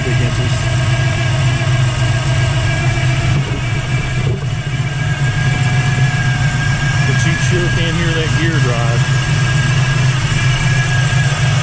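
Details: 1979 Camaro Z28 with a standard small-block Chevrolet (over 400) and a T-10 Borg Warner 4-speed: steady V8 idle rumble with a constant high whine on top. Whine from the noisy Pete Jackson gear timing drive, which is to be replaced.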